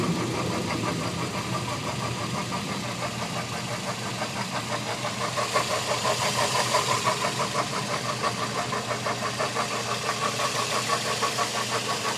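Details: Toyota Echo 1.3 VVT-i at idle. Regular light tapping, roughly three per second, becoming more pronounced partway through. Source not identified.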